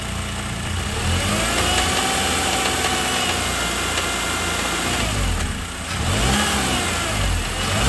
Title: 2009 Honda Accord 2.4 rattling sound at lower rpm